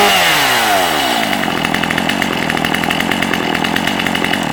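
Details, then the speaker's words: Stihl MS250C chainsaw, 16-inch bar, in good shape, Easy Start model: sharp high buzz that winds down and settles into an even, steady run; healthy and smooth. "A nice little saw. Again, it has the easy start. You do not start it like you do a conventional saw."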